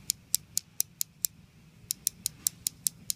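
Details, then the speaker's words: Micro switch removed from an actuator assembly, pressed by hand: crisp clicks about four to five a second, each a clean snap; a click means the switch is working, silence would mean it is broken inside. "you can hear a clicking sound sometimes just immediately pushing that in and out and not hearing a clicking sound it tells you that the micro stitch is bad it's broken inside"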